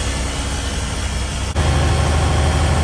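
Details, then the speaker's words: 1971 Peterbilt 352 diesel running for the first time in about 30 years, after air tank replacement: a deep, even idle rumble with no knocks or misses while air pressure builds past 15 psi. The oil light is out and no air leaks are heard. "So I don't hear any air leaks. Man, listen to that thing. Sounds good. I don't hear any major air leaks out here."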